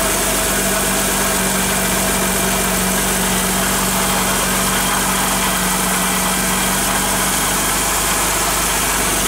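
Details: Car idling after cornstarch (maize flour) was applied to the pulleys of a belt that squealed from getting wet: a smooth, even hum with no squeal or chirp. Normal idle, the squeal is gone.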